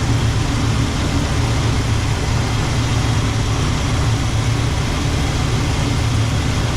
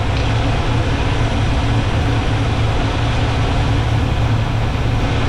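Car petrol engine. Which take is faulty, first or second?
first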